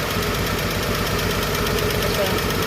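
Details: Chevrolet 235 Blue Flame sedan idling after a lifter rebuild: a quick, even tick like one loose rocker tapping, seemingly a single valve out of adjustment.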